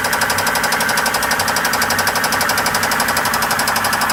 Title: Blown 5.0 Volvo marine Rod knock